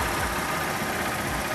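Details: 2014 Honda Titan 150 after repair for engine noise and lack of lubrication, with the rocker arm replaced and the engine cleaned and lubricated. A busy but even idle with a steady patter and no knock or rattle. Normal idle.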